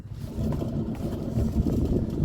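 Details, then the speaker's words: Car jacked up, rear passenger-side wheel spun freely: low, coarse, rough, uneven growl partly masked by wind, very loud, while the driver side is quiet; worn rear wheel bearing, then replaced. "That's very, very loud. Surprised it wasn't louder in the car. Tiny bit of weight in it, but"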